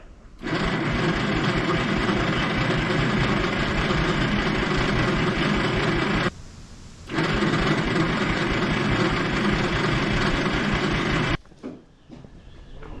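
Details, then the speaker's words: 1960s Galion grader on its first drive attempt after clutch and hydraulic work: long, slightly slow cranking without catching; owner thinks the starter isn't spinning fast enough and the engine is partly flooding; slow cranking. "the starter's not quite spinning it over fast enough i don't think i think it's also partially flooding out"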